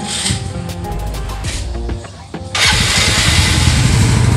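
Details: Yamaha R15 that wouldn't start on the electric starter button (no kick starter), tested with button wires jumpered: quick crank catches cleanly into strong even idle.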